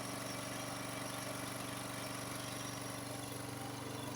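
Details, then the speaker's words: Serviced Honda HS828 snowblower, single-cylinder, started cold on choke with fuel on; steady even putter about four beats a second, no misses or hunting, running smoother as it warms. "see now it's running a lot"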